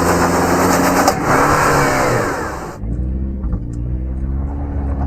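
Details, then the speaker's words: 2024 Toyota Tacoma with turbo engine under hard acceleration: the engine revs up, then one sharp gunshot-like bang from the front differential underneath; the ADD actuator is blamed, internal diff failure suspected. "underneath. Bang. Wow. So that sounds like a gunshot."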